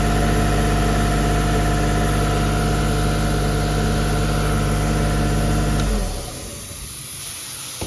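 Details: CompAir LeRoi C175 portable air compressor with a 49 hp John Deere diesel: steady, even idle with a constant low rumble and a clean shutdown near the end; runs normally.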